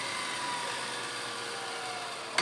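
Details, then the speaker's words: Sharp VC-MH75HM VHS VCR nearing the start of the tape: a light whirring hum with faint tones easing lower as the spool slows, then a click. The deck must slow down before the end of the tape. Normal rewind slowdown. "And you can hear it winding down already. It's getting to the start of the"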